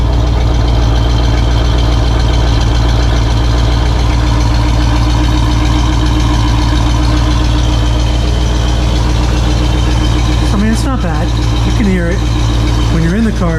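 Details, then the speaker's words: 1968 Pontiac LeMans on its original single exhaust before a dual exhaust install; low, steady, even rumble with a soft, very quiet exhaust note and no knocks or misses. "Um, but yeah, you can't even tell it's on half the time. And some people love that. Some people would say that's great. I like a nice quiet car, but I like a little bit of a rumble to my car."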